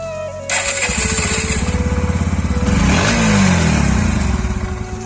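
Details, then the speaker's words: NS125 motorcycle after a self-start repair: catches after a brief crank, then a harsh, clattery pulsing that swells with revs, likened to an old worn-out bike. Abnormal engine noise after start, cause unknown. "उसके बाद मैंने इसको repair कराया तो ये start होने के बाद ऐसी आवाज कर रही है। ये स्टार्ट होने पे एकदम गंदी सी आवाज कर रही है जैसे पुरानी पटाला बाइक की है।"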